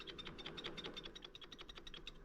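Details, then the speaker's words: Ozark Trail FS2 Slalom mountain bike converted to e-bike with motor and battery: quick light metallic clicks about eight per second as stand is rocked; kickstand rattle from play at the pivot rivet, owner suspects extra weight caused it. "But then I realized like I think that this I think that my kickstand has got damaged somehow and there's like this play in it now."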